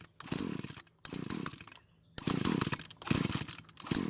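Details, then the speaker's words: Poulan chainsaw with about 150 psi compression and confirmed spark fires in short ragged bursts between pulls, catching and dying each time without running; stutters but will not start; ignition coil air gap to be checked next. "So that's not the result I was hoping for. It did try and start, but it would never do more than a stutter, which is not very promising."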